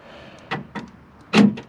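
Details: Ford F150 Lightning after power door lock actuator replacement: short, crisp clunks as the lock cycles, each firm and quick; new actuator working properly.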